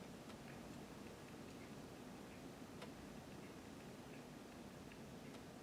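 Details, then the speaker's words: Amiga 600 with Furia accelerator during OS3.2 install: faint sharp clicks about twice a second from the floppy drive with no disk inserted, over a low hum, with floppy light flickering randomly; cause unknown. "it's not doing it all the time because my disk is clicking hear it click click"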